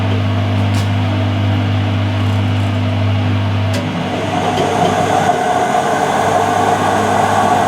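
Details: Whirlpool (Siltal) AWG324 D600 4kg 600-spin 33cm super-slim washing machine, mid-1990s: steady low hum with rough, uneven rumbling growing as the drum speeds up, plus knocking; the drum bearings are gone.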